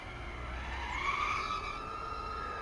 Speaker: Okay, so in terms of motor, I don't hear a lot of vibration, so sounds good.